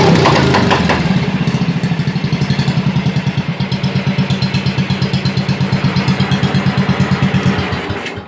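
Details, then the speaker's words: 1987 Wheel Horse 211-4 mud mower with a snorkel. A loud, lumpy single-cylinder thump of about three beats a second that never settles and needs warming up to idle. It smokes; the owner suspects jetting, possibly lean, and carburettor airflow through the snorkel. "has a little bit of a jetting issue I think it's running a bit lean it smokes a little so it kind of indicates that it's running rich but it'll idle under its own power it just has to warm up a bit"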